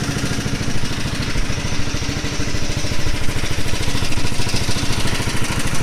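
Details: Honda CBR250R motorcycle engine idling with a fast, steady metallic rattle over its low thrum; the owner does not know the cause.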